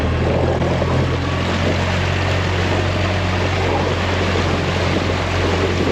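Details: New Yamaha outboard on a dinghy: smooth, steady low drone with water wash behind, no misses or knocks under throttle, good throttle response; normal, healthy running.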